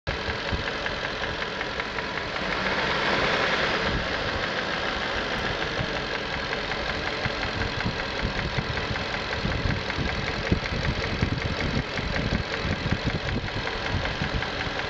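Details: 1994 Infiniti Q45 V8 at idle: fast, uneven ticking and light rattle over the steady engine note; valvetrain and timing chain noise suspected, not confirmed.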